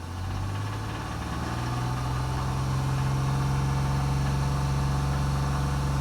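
Steady low hum at idle with a faint rhythmic rattle riding on it, roughly four beats a second; knock or rattle, source unknown.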